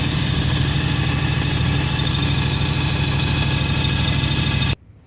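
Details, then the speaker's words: John Deere X585 riding tractor running a minute or two after oil change to circulate oil: steady even engine drone, smooth pulse, no knocks or misses until shutoff; normal running. "So we're going to fire it up here per the manual, let it run for a minute or two, let the oil circulate, we'll check it and see what we're at."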